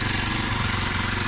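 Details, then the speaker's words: Kawasaki KLX 230 single-cylinder: quick steady beat with noisy top end; idle very high, estimated 1,800 to over 2,000 rpm; engine also runs very hot. "Suara mesinnya berisik banget ya. Dan idle-nya atau langsamnya ini tinggi banget RPM-nya. Teman saya bilang sih 1800, tapi saya nggak yakin, ini sekitar 2000 RPM lebih mungkin ya."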